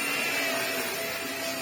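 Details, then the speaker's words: Vax Air Stretch bagless upright corded vacuum cleaner after servicing, which lacked a pre-motor filter: smooth, even motor hiss and airflow roar with a slight whine, no knocking or rubbing from the brush; runs healthy. "Little whiny noise, but nothing. You can ram it into the that works really well. Vax Airs always do work really well, to be fair."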